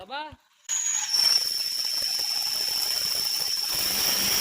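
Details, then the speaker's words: Maruti 800 car, gearbox to be removed: a high, steady, piercing squeal holds over a quiet idle without wavering; the clutch release bearing was found broken after the gearbox was taken down. "এইখনৰো কি কয় গেবজ down দিব আছে। এখন ক্লাছৰ পেৰি আছে চাউণ্ডটো।"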